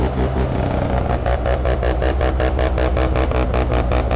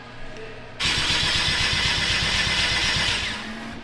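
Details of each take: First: Mazda rotary (FB), first start-up after troubleshooting and fitting a new CAS: choppy, loud idle with even pulses about two to three a second and no clatter. Running well. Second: Car being diagnosed, ECU not always sending correct spark signal, no spark found; cause could be wire or ground: starter cranks evenly about 160 per minute for two and a half seconds but never fires; crank, no start.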